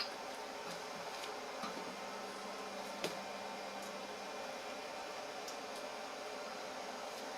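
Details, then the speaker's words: Ender 5 Plus 3D printer auto-homing after BLTouch cycled and reported ready; quiet low hum with soft pitch steps and light ticks as X and Y axes travel home, stepper motors running smoothly and quietly. "sounds great and the stepper motors they don't make a lot of noise it's going back to the it's done the x and y"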